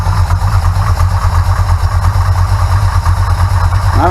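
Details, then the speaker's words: Big block Mopar V8 with manual fuel pump and phenolic spacer fitted against vapor lock, choke pulled off, idling: deep even loping pulses, no tapping from the fuel pump area; normal idle. "that's the noise you hear there that's the normal noise that's always made"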